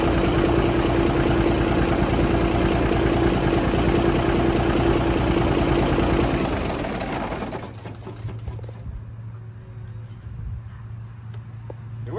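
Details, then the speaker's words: 1978 International Transtar II cabover diesel, first start after sitting and restoration. Loud, even diesel clatter at a steady beat, then winds down smoothly. Normal idle. "Sounds good to me. Well, that was an epic win if there ever was one."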